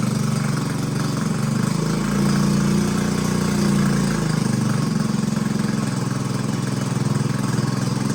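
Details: Bintelli 50cc two-stroke scooter idling after carburetor replacement, still on the old spark plug: a fast, fairly even putter with a slight rev bump, keeping running on its own and sounding healthy.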